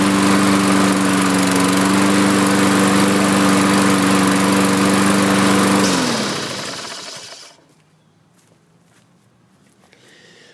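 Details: Used Lawn-Boy 6.5 all-wheel-drive self-propelled mower, scrapper drop-off: steady, even drone with smooth firing for about six seconds, then clean coast-down at shutoff. Healthy normal running; oil change, blade and air filter planned.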